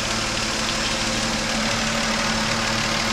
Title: Engine knocking and a hissing sound